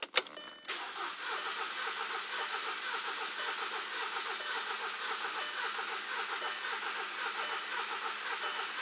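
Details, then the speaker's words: Four-cylinder engine cranking during a relative compression test, battery holding about 9.2V. The starter cranks at about two beats per second but limps, with one stroke in four light. One cylinder has no compression. "you can hear it but you can see it there there is low compression and it's giving us relative compression test"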